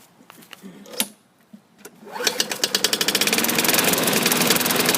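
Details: Self-propelled lawn mower engine with fresh oil and a different blade: a small single starts and settles into a quick, fairly even beat about three per second. The knock heard at first start persists, cause not found.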